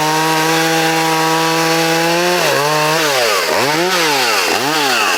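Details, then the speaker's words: Vintage Poulan Wild Thing two-stroke chainsaw, completely stock with safety chain, unmodified muffler and air cleaner, freshly sharpened chain and tuned, in timed log cuts: a crisp wail bogs and recovers with each cut. A healthy, well-tuned saw. "So what we're going to do is 4 timed cuts, and the saw is completely stock. It's got the safety chain on it."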